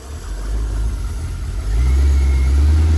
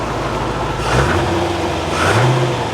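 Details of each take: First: Crash-damaged C5 Corvette engine, described as an LS1 and with no bearing noises heard: engine speed swells and sags after throttle release instead of settling, a hunting idle; the speakers suspect it is still pulling air. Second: Barn-find C4 Corvette ZR-1 after an ECM repair, with good oil pressure and coolant slightly low from partial draining: two throttle blips drop back cleanly without stumble, running smooth and healthy.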